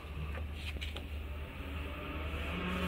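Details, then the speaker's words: Refrigerator evaporator fan motor toggled by the door switch; soft, steady low hum switches on then off, running smoothly and healthy. "hear the fan coming on if i let it go the fan shuts off"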